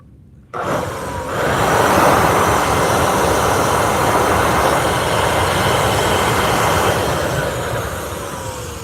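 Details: Vacuum runs with a loud, rough, even roar and faint whine; owner says the motor needs bearing work and wonders whether the bearings are bad or could be packed with grease.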